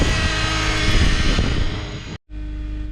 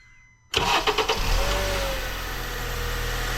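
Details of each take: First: 2008 Honda Accord 4-cylinder, cold weather, right after a long crank and rough start: fast, busy idle around 1500 rpm where about 800 is expected. Cause is a split, dry-rotted intake duct letting in unmetered air; power steering pump whine also audible. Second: 2008 Honda Accord in cold weather, after replacing a split dry-rotted intake duct that caused long crank, rough start and high idle; quick crank, clean catch, smooth steady normal idle with AC on.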